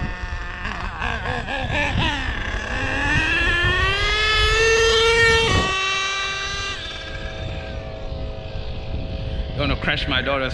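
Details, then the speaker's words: Savage X46 nitro RC truck, transmission just rebuilt with all-metal gears, first adjustment: engine screams up, drops once, then revs again; the 2nd-gear shift isn't heard though speed suggests it reaches 2nd; cause unconfirmed. "So I'm just not getting the second. I like to hear the second, but I'm not getting the second."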